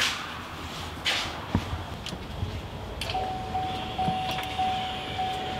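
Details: 2021 Duramax Silverado 2500 diesel rebuild, key-on on jump box: quiet, then a faint steady hum switches on and holds even; electric fuel pump priming normally, though a fuel leak then appears.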